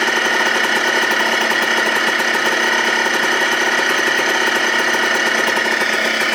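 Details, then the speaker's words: 2004 Yamaha Blaster two-stroke ATV, rebuilt engine just reinstalled, first start: fast buzzy crackle holding one speed, idles but will not rev. Owner wonders if it needs warming up or an idle screw. "want to rev i don't know if this just needs to warm up or what but it wants to idle sounds like that's like an idle screw or something"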